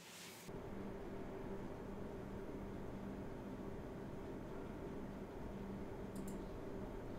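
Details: MSI RX 480 Armor OC 8GB graphics card fan noise test: soft, even whoosh with a faint steady hum, no rattle, tick or bearing whine; fans running quietly and normally.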